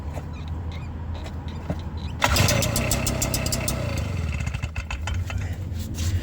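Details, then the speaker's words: Stihl BR340 backpack blower two-stroke, pull-started during teardown: rattle, then it catches with a rough sputtering burst and dies, showing spark and compression are present; it turned out to need only a new carburetor. "Okay. So, I can after that we can tell that it started just a little bit. So, when it makes that noise, we seen that we had spark. And because it ran for just a little bit, we can also see that it had compression for it to run."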